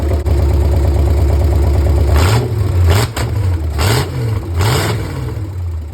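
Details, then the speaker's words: 1964 Chevy 283 V8 DIY rebuild in a 1981 Jeep CJ-5, first runs, open exhaust, 40 psi oil pressure at idle; deep burble climbing cleanly through quick throttle blips and settling to steady idle, slight flat spot suspected on opening. Normal revving. "Woo! This thing sounds good. I'm gonna do that again, hold on."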